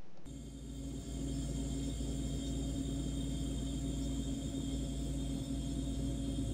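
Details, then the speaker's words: LG French door fridge good linear compressor for comparison: soft steady low purr with constant faint hum, no clicks or rattles, running normally, unlike the bad one's hollow sound and overload click. "so here is a good running compressor and how it's supposed to sound"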